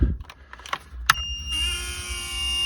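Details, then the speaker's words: Small sleeve-bearing fan on an old modified Ender 3D printer, heard at power-up: a few clicks, then a thin, buzzy whine with a rough edge; the fan is dying from a worn sleeve bearing and should be replaced with a ball-bearing fan. "this fan is dying you can hear that that's a sleeve bearing fan so i should replace that with a ball bearing fan at some point in time"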